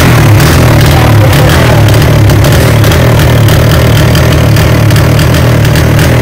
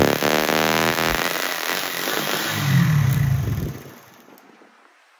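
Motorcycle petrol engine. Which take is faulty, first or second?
first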